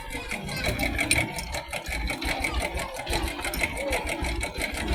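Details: Bajaj Boxer 100S single-cylinder motorcycle: fast light metallic sewing-machine clatter over the engine note; timing chain noise from a slack chain and worn tensioner, fixed by replacing timing chain, tensioner and tensioner rubber.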